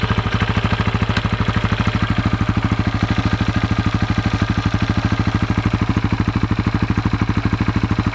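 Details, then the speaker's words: 2004 KTM 640 LC4 single, 38,000 km, after 10 days unused: sharp even tac-tac clatter about three per second at idle from the engine's left side, sometimes squeaking; stops in gear with clutch held; cause unknown, owner wonders about crankshaft or clutch bell. "même quand je roule à bas régime ça claque un peu tac tac tac tac et des fois va grincer un peu même et je sais pas ce que c'est"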